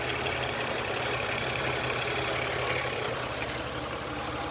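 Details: GM 3.4L V6 (LA1) in a Grand Am at idle: a light, even tick about three per second over a steady idle, seemingly from the top end; owner suspects a lifter.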